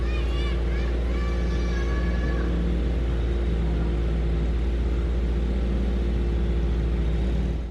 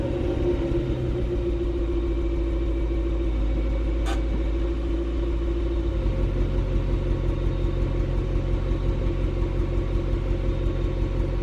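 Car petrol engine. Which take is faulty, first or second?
second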